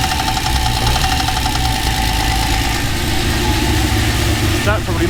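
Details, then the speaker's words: TVR Tuscan Speed Six engine after throttle body balancing: a steady idle carries a fast, light tapping from the top end, seemingly in the middle of the engine, likely valvetrain; head removal planned to find the cause. "Um, there's something not quite right and it definitely sounds like it's in the middle."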